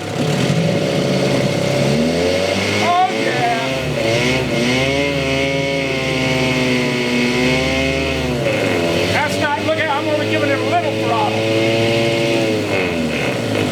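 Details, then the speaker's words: 1963 Evinrude 5.5 hp two-stroke outboard after carburetor needle adjustment, run through forward, neutral and reverse: crisp note climbing and falling cleanly with no misses or knocks; runs healthy. "neutal and stop woo don't that sound better"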